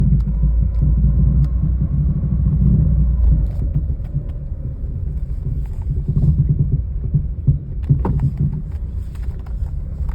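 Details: Car driving with right turns and straight ahead: heavy low road rumble with scattered dull knocks and pops; the cause is unknown.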